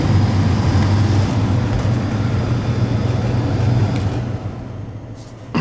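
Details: Gas furnace blower after troubleshooting high amp draw and a faulty fan cycle relay, now about 9.8 amps with door on: steady low hum, no scraping, rattling or labouring, easing off at end; normal blower operation.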